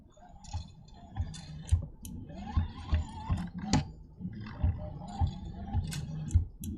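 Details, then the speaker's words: Creality Ender 3 3D printer, bed pushed back and forth by hand with the mic held close: dull thuds and knocks as it moves; the V-wheels under the bed are worn away from over-tightening and need replacing. "the thud as I'm pulling it. I don't know if it's coming through, but so the problem that's making that thud noise, if you could hear that, is basically the wheels on the bottom are all eaten away from being over tightened"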